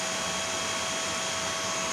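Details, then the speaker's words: IGBT inverter welder after servicing for total failure and short circuit, powered on with rain noise in the background; the cooling fan gives a steady, even airy whoosh with a faint constant whine, no rattle or rubbing; fan running normally; output measured 72 V. "kipas sudah nyala dengerin ya mohon maaf karena ini hujan jadi Mungkin suara saja jelas"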